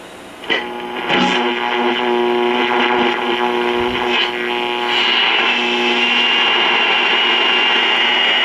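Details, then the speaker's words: 1952 Trav-ler model 5171 AA5 tube AM radio after recap and tube replacement, daytime reception of a station about 45 miles away: steady clear programme audio with light hiss, no hum or crackle, receiving normally. "well it's not doing too bad that station's about 45 miles [Applause] away"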